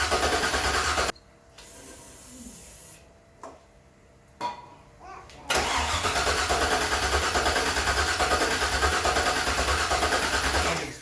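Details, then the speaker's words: LS-swapped Datsun 620 after starter removal: steady fast cranking about three beats a second without catching; crank position sensor was left unplugged when the starter was pulled, fuel pump relay also suspect. "When we pulled the starter out, we unplugged the crank position sensor, and it never went back in."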